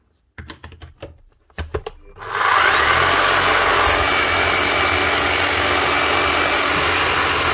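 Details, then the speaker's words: Power tool on a repair bench: a few sharp clicks, then a steady high motor whirr with a faint thin whistle, sparking on one side only; sparking on both sides would usually mean a bad armature, one side hopefully a worn brush. "yeah your motor's running and you're getting Sparks on both sides it's generally going to be a bad motor sometimes it'll be the brushes but normally it'll be a bad Armature"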